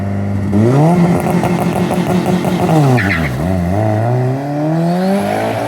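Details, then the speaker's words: Turbo AWD Eagle Talon drag racing, boost raised on this pass: hard pull with rising note then stumbles and sags mid-run before climbing again; misfire under boost, suspected spark blowout, plugs probably need gapping down. "sounds like spark blowout to me yeah it was all spark"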